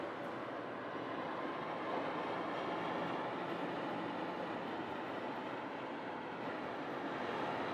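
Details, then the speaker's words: 2021 Toyota RAV4 at 55–60 mph, in cabin: constant rushing hiss, no knocks or whine; heavy wind noise, source unknown, owner suspects roof crossbars and rain guards. "it's gonna be the wind noise wind noise is crazy i still can't figure that out"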